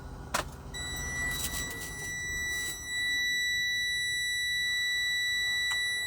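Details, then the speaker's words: Diesel truck with key on: steady high-pitched electronic low air pressure warning tone, continuing until the air pressure builds up. "i didn't wanna i didn't want you guys having to listen to this beeping so let me pause this and get this under control all right guys i got everything plugged up got the air pressure up so ain't got to be hearing it beeping"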